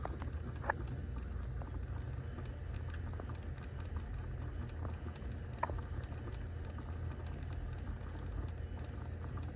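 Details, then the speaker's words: Honda City cabin, heard behind the lowered glovebox: occasional sharp little clicks over a low engine rumble, long mistaken for an engine or tappet noise. They come from the gears of the heat-regulation blend door actuator skipping. "Aquela engrenagem ali que tá fazendo esse barulho, tá incomodando já tem um certo tempo que eu confundi até com outras coisas."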